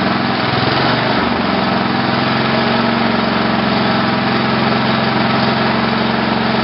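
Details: Tecumseh HH120 single-cylinder tractor engine on an engine simulator, final test run after fitting a GM LS2 ignition coil and a modified GM crankshaft sensor: after a brief rough catch it settles into a steady, even beat with no misses; it runs normally.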